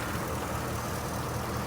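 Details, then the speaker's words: 2010 Ford SVT Raptor, 6.2L V8, 118k miles, idling with hood open: steady, even low rumble with no misses, knocks or ticks; idle sounds like it should, normal. "you just can't beat it idle's great sounds like it"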